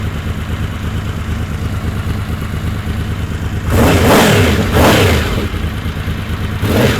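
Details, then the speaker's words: Honda VFR750 V4 after carb work with 40 jets, carb float bowls not fully filled because of the fuel cut relay: uneven, stumbling idle with ragged blips on throttle opening; fuel starvation. "but yeah that was a problem I didn't fill the carbs up all the way so let's try this again from start"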